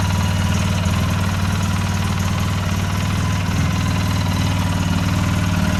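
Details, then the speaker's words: 2008 Polaris Sportsman X2 700 twin ATV, just reassembled, stock exhaust: smooth, even low idle with a steady deep pulse, no knocks or ticks; very quiet and healthy. "Start her up. Let's just see what she sounds like. Very quiet, stock exhaust."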